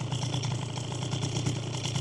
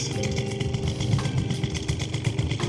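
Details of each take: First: Piaggio Typhoon two-stroke scooter, warm after riding, idle screw set about 1.5 turns out: steady, even buzzing idle with quick regular pulse, no hunting or stumbling; normal idle. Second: Warm Piaggio Typhoon scooter carburettor with the air mixture screw 2 full turns out: throttle blips stumble with a boom-boom instead of revving clean; lean bog from too much air.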